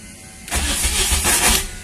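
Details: Custom Cherokee project after a new wiring loom: a short burst of starter churning lasting just over a second with no catch; the engine cranks but won't start.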